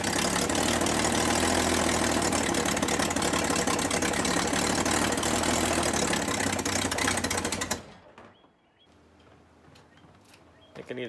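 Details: 1962 Ford Falcon inline-six, unrun 25 years, now running: steady idle with a quick, even puffing tick about three per second on the exhaust note, from an exhaust leak.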